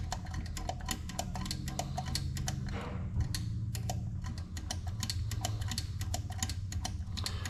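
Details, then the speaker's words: 1928 Ford Model A stock four-cylinder with custom intake/exhaust manifold and an electric under-floor pump, since the carb sits too high for gravity feed: quick, even pump ticking, but no fuel reaches the float bowl; carb needle suspected stuck. "Well, that's weird. The fuel's turned on. Nothing out of the bowl."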